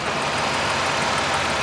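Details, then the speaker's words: Auction-bought Ford Escape with pending transmission issues, after a slow drive to the lot: smooth even warm idle with a soft steady hum, no ticks, knocks or squeals. "No odd noises, no nothing."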